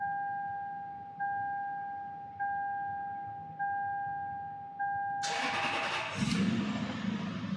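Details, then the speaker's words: 2006 Lexus SC 430 crank/no-start from a body shop, after fixing a chassis ground so the security light goes out; a warning chime repeats, then a brief crank and the engine catches and runs poorly, with some dash gauges still dead. "we are running running poorly but we're running notice we still got some lights on on the dashboard"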